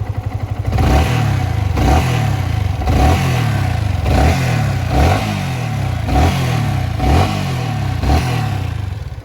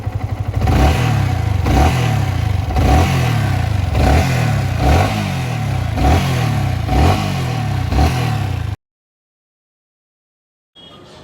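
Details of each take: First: Yamaha R15 V3 single-cylinder blipped about once a second before valve clearance adjustment: light buzzing, vibration-type rattle over the beat, owner attributes it to loose tappets. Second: Yamaha R15 V3 engine after valve clearance adjustment (excess clearance had caused knocking/vibration): blipped in quick even pulses then cut off, smooth with no ticking.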